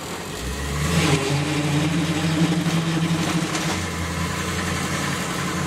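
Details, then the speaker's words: Ford Bronco pulling away: a low engine drone with a rising, buzzy tone right at start-off that fades once moving; the source of the noise is unidentified. "so you can see it makes the noise right when you start up and once you get going it's [Music] fine so yeah trying to figure out what that noise is"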